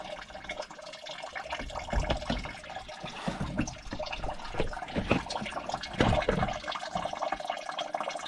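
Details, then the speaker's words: John Deere 450B dozer with engine off: liquid splashing and gurgling in a heavy uneven stream at a spot that kept getting wet, a coolant leak that explains coolant getting into the engine. "dden I heard something peeing that's the exact spot that I said that I keep wiping something off of I think I found the issue that's crazy"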